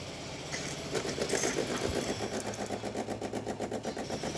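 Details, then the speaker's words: DeLonghi Magnifica espresso machine after full service, descaling and cracked spouts replaced, testing the steam function; even rapid pulsing pump buzz with steady water rush, no stutter or strain; pump running normally, producing good steam. "As you can see, you can hear it pump. Now it's pumping out really good steam."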